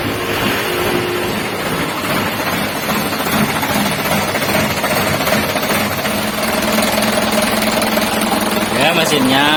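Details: Freshly rebuilt Ragasa 120PS diesel, valves set to 0.40, first start after assembly: catches and settles into steady, even idle with low uniform clatter, no knocks or misses.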